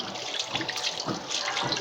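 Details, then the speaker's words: Scanfrost SFWMTTB washing machine with a drain problem, drain opened during the repair: a constant rushing splash of very dirty water pouring out with no gurgling or stalling; the drain valve is open and flowing freely. "So za ku ga yanzu ruwan yana fita amma da irin datti sosai. So yanzu ruwa yana fita, za mu koma mu maida shi mu ɗaure a nan wurin."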